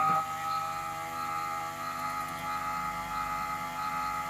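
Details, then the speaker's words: MIG welder wire feeder with fresh wire replacing rusty wire that previously made the motor slow and labour: steady, even motor hum at constant pitch with no labouring, briefly slowing once; normal wire feed motor run. "so before it used to slow down at this point you can actually hear the motor laboring as it was pushing through I'm not hearing as really any of that which is encouraging"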